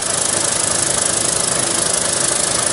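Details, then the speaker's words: Terry Surma vacuum former mid-cycle with the part sucked down and the die up: a steady loud hiss with a fast, even pulse from the vacuum pump and the fan cooling the part. A smooth, normal forming cycle. "So this will stay on, and the die will stay up until the fan has run its course to cool the part off."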